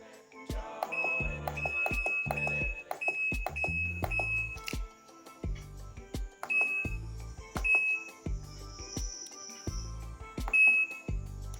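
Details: Washing machine just fitted with a new control board and powered up: short, clean, high beeps answer each button press evenly, with slight clicking between. The board works and the panel responds normally.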